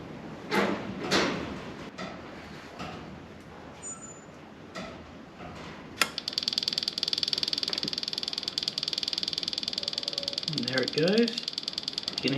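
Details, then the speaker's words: Husqvarna 300i two-stroke after a top-end rebuild, priming via the ECU wake-up plug with the throttle held wide open for five seconds: rapid, even ticking of about three per second as the oil pump bleeds and the oil line turns red; normal. "hear it ticking away that's it you see the oil line there is red"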